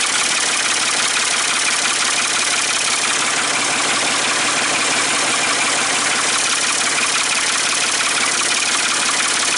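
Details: Ford 550 TLB three-cylinder diesel, first start after reassembly and bleeding the injectors while cranking, on a cool day; loud open-exhaust clatter at a steady, even idle of about three beats a second, running normally.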